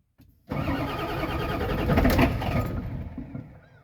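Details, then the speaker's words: 1989 Ford F350 7.3L IDI diesel, first start attempt after purchase: brief cranking, then catches and settles into steady clattering idle; starts readily once it gets fuel. "there you go so if we can get her fuel she'll start it's quite nice"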